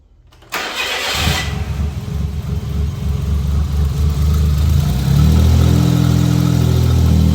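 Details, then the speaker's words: Suzuki Jimny turbo returned to stock, blow-off valve and intake kit removed, original vacuum line refitted, fuel pressure regulator and fuel filter replaced: starter crank, quick catch, steady low idle with no whoosh or misfire; normal cold start and idle. "There it is. No more whoosh."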